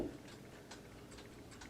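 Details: c.1974 Seth Thomas Country Pine C-cell battery pre-quartz clock after movement cleaning and lubrication, hung in dining room: quiet evenly spaced light ticks, one knock near the end; running normally.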